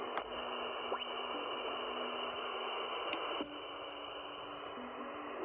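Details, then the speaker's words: Xiegu DH100 portable 12 V battery power station (100W, 88.8Wh) powering an Icom 705 radio: heavy receiver interference, a steady hiss rising as the unit switches on; some noise even with the battery unit off, just from plugging in the 705. "oh my I haven't even turned the solar station on yet watch this yeah that's uh some real heavy interference"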